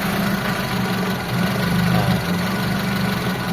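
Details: Mitsubishi Lancer 4G13 carbureted engine, hard-starting with fuel filter emptying, now starting on one click after warming: steady, even idle with smooth low hum, no misses or stumbles, normal idle.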